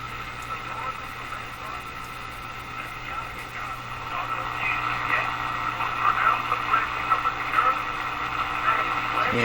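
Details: Moffat Crosley Model G2465 five-tube radio before its power supply filter capacitors are replaced: muddy, garbled broadcast over a steady low hum. Weak filtering from failed filter capacitors is suspected.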